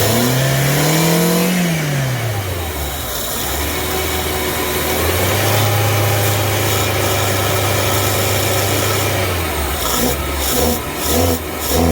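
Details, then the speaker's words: Free car, engine catches and revs briefly, sags and surges unevenly, then dies; runs only on fuel squirted into it by hand, won't draw fuel from the tank; owner suspects stuck injectors. "um it does run though it just needs fuel so that's a good start um i've been squirting a few fuel into it but doesn't want to pick up anything from the tank"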